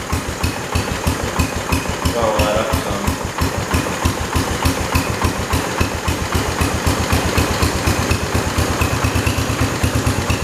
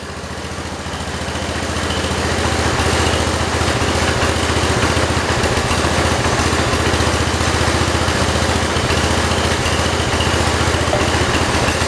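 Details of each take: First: 1968 Kohler-powered 112 tractor after choke hookup and throttle linkage work (earlier it seemed to run rich): even, steady single-cylinder thump with no misses or surging and a clean exhaust beat; running smoothly and healthy. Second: 1968 John Deere 112 with Kohler engine, air filter fitted: low lumpy uneven single-cylinder idle around 220 per minute, stumbling; air filter upset the carburetor fuel mixture adjustment.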